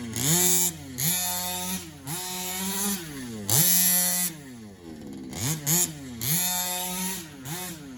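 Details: HPI Baja 5B SS two-stroke with rebuilt carburetor: buzzy engine snaps up and drops back cleanly in repeated blips, picking up crisply, running well.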